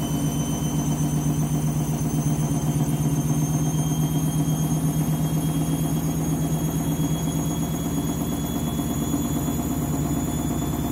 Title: Candy Washing Machine New Clothes final spin ramping up strange noise